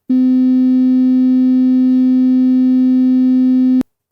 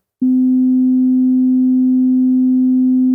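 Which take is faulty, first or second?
first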